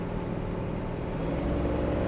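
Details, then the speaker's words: 1966 Pontiac Tempest on a road test, accelerating: a smooth, rising engine note over tire and road noise, with no misses, pinging or hesitation. Good pickup; it tracks straight with zero vibration. "car has good pickup"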